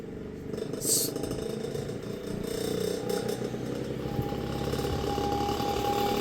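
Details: Vintage Kenmore fan after rewiring its rotary switch: rattly buzz as the motor winds up, then steady whine climbing to speed; noise only during spin-up and quieter once at speed, cause unconfirmed.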